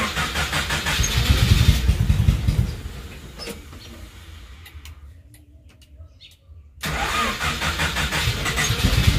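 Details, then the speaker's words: Mitsubishi Colt T120, carburetor, not started for about two days, dirty engine bay: catches, runs rough a couple of seconds, dies, cranks again; owner blames carburetor setting. "Hai kok mati ya ini setelan karbu nya Ini kurang sip ini"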